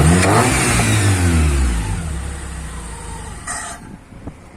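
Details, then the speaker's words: Honda Prelude with a larger, non-factory cam, warmed up. Revs rise and fall cleanly with no miss or knock. The owner notes an erratic idle, suspected to be the PGM-FI manifold or idle control valve. Normal free revving. "she raped some smoothie ribs up nice um nothing wrong with the with the prelude"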